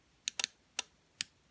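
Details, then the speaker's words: Small relay on a basic 5-volt/3-volt test circuit: sharp, crisp clicks, a pair close together then two single ones, as the electromagnet pulls the contacts in; normal operation. "So that's that pop. It's that. It's like, so the magnet goes like, when the magnets turn on, that's the sound it's making."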